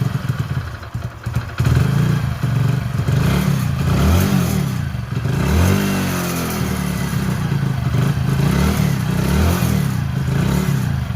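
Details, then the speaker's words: Hero Passion Pro after full engine rebuild, kick-started on choke then choke off: steady even single-cylinder idle with clean throttle blips, no knocks or rattles; engine healthy. "Sound మంచిగా వస్తుందన్నమాట. ఒకసారి చూసుకుంటే మీకు అర్థమైపోతది."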